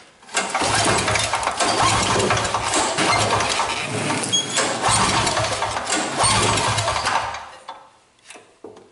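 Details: MTD two-stroke snowblower, non-running free unit, grounded on the muffler while testing the key switch: engine fires up and runs at a steady, buzzy rate for several seconds, then dies away; engine itself runs fine, key switch needs replacing.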